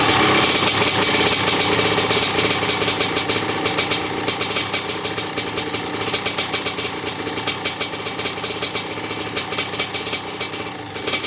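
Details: Maico 660 two-stroke after new reeds, reed intake and jets: crisp steady crackle slowing to regular idle popping near 3.5 per second, running cleanly; started and restarted easily, idle needed adjusting.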